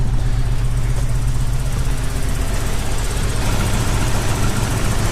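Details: Toyota 4Runner during first-start session: heavy low idle with uneven, stumbling beat roughly twice a second as exhaust is blipped; one cylinder skipping, cause not confirmed.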